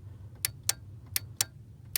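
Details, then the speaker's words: Ford 1998-04 power door lock module, output disconnected: five sharp, crisp clicks over a quiet hum from a healthy relay switching with good contact. "Okay, so we have two sounds that we're looking for: a healthy relay switching and a not so healthy relay switching. So here's the sound of a healthy relay that's switching,"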